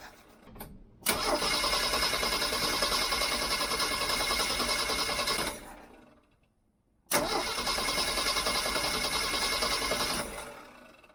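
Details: Jeep CJ-7 with newly fitted Weber 32/36 carburetor, first start attempt: two long steady cranking bursts of about 4.5 seconds each, engine never fires; crank-no-start, owner suspects he may have disabled ignition, unconfirmed.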